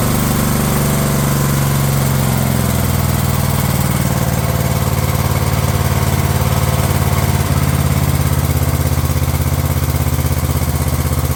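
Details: Craftsman LT1000 lawn tractor running on a previously rebuilt Walbro carb that replaced the poor-running aftermarket carb: steady, even putter at constant speed without surging or hunting; normal running.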